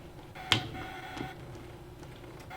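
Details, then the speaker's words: Brother ScanNCut cutting plotter etching a very hard material: two sharp isolated clicks about two seconds apart as the blade struggles and the machine etches a second pass. Owner thinks the material is too hard. "the noise that it makes makes me nervous look at that oh no it's edging twice I think it's cuz the material is so hard"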